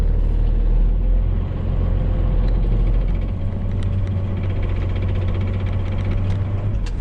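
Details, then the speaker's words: 1995 Dodge Ram 2500 with 12-valve Cummins turbo diesel and NV4500 5-speed manual, 240,000 miles of work-truck use: an uneven rattle at idle from damaged input shaft and cluster gear teeth, which goes away with the clutch pressed in. "Just kind of started doing that the other day. But, you know, this thing does have 240,000 miles. She's been used. It's been a work truck its whole life. You can hear the noise."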